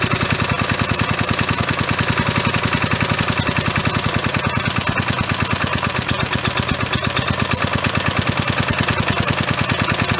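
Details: Roughly 37-year-old (about 1985) 3.5 hp Briggs & Stratton single-cylinder mower engine, started with a squirt of carburetor cleaner. A steady, even chatter at fast idle with no misses, knocks or surging; running healthy.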